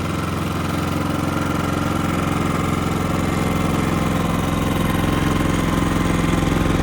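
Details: Genmax GM7500 iAED dual-fuel inverter generator with about 9.3 hours of use, no load, 120/240 V setting, heard from about 15 feet at its left side (62–65 dB): a low, even, quiet hum with smooth firing; normal idle.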